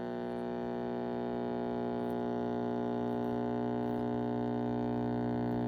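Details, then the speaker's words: AA5 tube radio brought up slowly in voltage: loud steady low buzzing hum with rich overtones, no programme audio; radio works but has excessive mains hum. "All right, so it works. It just hums a lot. That should be an easy fix"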